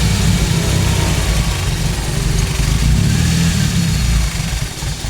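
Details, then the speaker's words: Toyota Great Corolla 4A-FE after ECU repair and data cloning, still cold, IAC raising idle toward normal temperature: steady even low hum with a mild lift in speed, no knocks or misses; normal idle. "Sementara seperti itu, EGU sudah dites bagus, menunggu sampai RPM ee temperatur normal."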